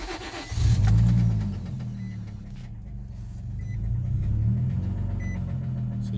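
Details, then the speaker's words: 2004 Infiniti G35 coupe, automatic, 137,000 miles, no check engine light: the engine catches and settles into a rough idle with a steady low knock. Owner suspects a rod knock or broken cam bearing. "hear that knocking and if i put it in gear it stalls"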